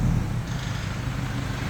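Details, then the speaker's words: Toyota Vigo 3.0 diesel after replacing and registering all injectors, cured of knocking and white smoke: deep, steady idle with an even low throb, no knocking; runs smoothly, idle still slightly high and settling. "ถอดหัวฉีดด้วยการเปลี่ยนไปนะฮะเปลี่ยนไปแล้วก็ลงทะเบียนหัวฉีดใหม่ทั้งหมดแล้วนะนะฮะก็สตาร์ทเครื่องดูเครื่องนิ่งนะ"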